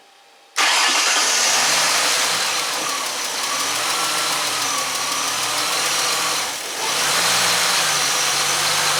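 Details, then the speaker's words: 2005 Ford Mustang 4.0L with P0340 and P1336, rough idle and intermittent no-start: cranks, catches and idles with a stumble and sag as the cam sensor signal spikes; the fix was replacing a bad CMP sensor connector. "We can see the engine is stumbling. Now this my yellow trace is my camshaft sensor, and we can see that there is intermittently we have a spike."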